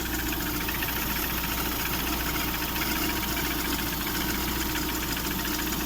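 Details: Lada Priora 16-valve engine (126): steady idle with light uneven tapping and rubbing underneath, friction near the timing belt; owner suspects piston knock, cause unclear.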